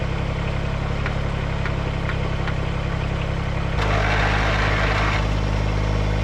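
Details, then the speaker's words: Backup riding mower that sat unused (dead battery), jump-started with starting fluid and fresh gas; even low-pitched chugging idle that steps slightly louder partway through and stays smooth; engine running normally. "I was able to jump it, put some juice to it, a little bit of starting fluid, it started up, got some fresh gas in it"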